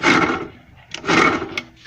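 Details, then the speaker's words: Puch Dart/Mini Maxi with previously seized Puch E50 two-stroke, first start, about 150 compression, choke on, bodged throttle: rough uneven bursting revs with harsh grating rattle; something grinding internally, cause unclear. "down sounds like things are grinding against things and I can't wobbly that is either"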